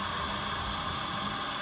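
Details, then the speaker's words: 1.8T 20v APX engine from an Audi TT with K04 turbo, in a Karmann Ghia, intake pressure-tested: steady, even hiss of air escaping out the side of the diverter valve; boost leak. "I think the diverter valve's leaking out the side."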